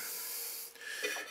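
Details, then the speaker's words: Cheap Chinese pottery wheel whose wheel head is about an inch and a half larger rubs on the splash pan's joining spigots. Dry, wavering scraping noise; later fixed by heat-gunning the spigots down. "the wheel head rubs on these, makes the most terrible noise. So that was another fail."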